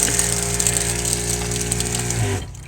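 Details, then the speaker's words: Newly installed small RV water pump, a diaphragm pump, louder than the old larger pump; loud steady buzzing hum with fast mechanical chatter that cuts off at the end; normal diaphragm pump operation. "it's definitely loud, which is surprising considering how big the other pump was. So, and from that... It's a diaphragm pump, so they're pretty loud."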